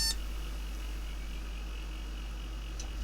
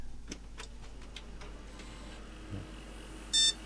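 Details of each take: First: Second-hand retro PC with 512MB DDR RAM, powered from direct mains: a short beep at power-on followed by a quiet hum. The owner suspects a RAM problem. POST error beeps. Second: Car-boot-sale retro gaming PC after a dust clean: quiet room, then one short clean beep at power-on; board passes its self-test and starts normally.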